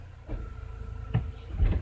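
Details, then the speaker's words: 1999 Mercedes A-Class A160 brought in for hard starting, especially in the morning: quiet idle, then a solid thud as reverse engages and a couple of dull knocks after; reverse engagement is too harsh. "reverse that reverse is a bit too hard my liting reverse engagement is anyway"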